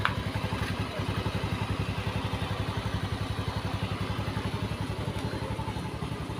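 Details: Honda Beat eSP scooter, previously rough-sounding with wet, smoking exhaust, after cylinder block and piston replacement: even, regular single-cylinder pulse at idle with no knock or rattle; engine smooth.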